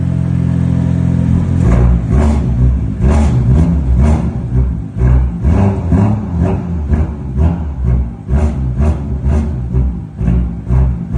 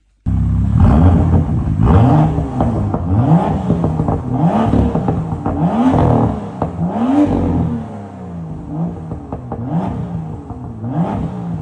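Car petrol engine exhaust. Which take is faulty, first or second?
first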